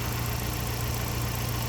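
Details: Ford Sierra RS Cosworth after four new injectors cured a hot-start fuel-pressure drop caused by leaky injectors; fuel pressure just set to 3 bar at the regulator. Even, settled idle with a deep steady note and no stumbling or surging. Fuelling sounds right.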